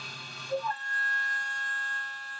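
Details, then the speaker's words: Milling cutter chatter: steady high-pitched squeal as the cutter bites, caused by the tool wobbling with resonance while machining; milling chatter. "so yeah you can order you can hear the uh the chatter on there audibly um what's actually happening is crudely the actual tools wobbling so it's got resonance in there"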